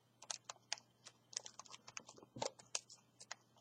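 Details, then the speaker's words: THL T6S smartphone with rigid plastic case fitted, squeezed in hand: faint, irregular dry clicks and crackles as the plastic housing and seams creak. "je pas si vous entendez mais ça ça craque quand même un peu"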